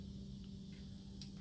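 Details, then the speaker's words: Quiet constant low hum before cranking as the fuel pump primes and fills the rails on an LS V8 engine run on an engine stand; fuel pressure checked correct beforehand, normal. "fuel pump kicked on. Probably can hear the fuel going into the rails."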